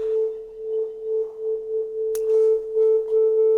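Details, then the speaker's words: 30-year-old SoundTracs JADE 32 inline analog mixing console, channel test. A steady test tone swells and dips as the rarely used gain pot turns, with a sharp crackle near the end of travel. Dirty gain potentiometer suspected. "gain potentiometer because that's rarely used so to me that's sounds like it's the potentiometer I mean there could also be something else further down the line uh but we'll start with the potentiometers"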